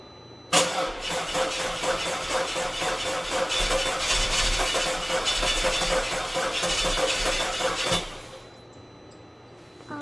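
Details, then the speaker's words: Audi A4 2.0L turbo first start after big repairs, on a booster pack, spark confirmed. The starter churns at about two beats a second for several seconds without catching, then stops: cranks but no start. "Alright, you can hear that little crank starts fine."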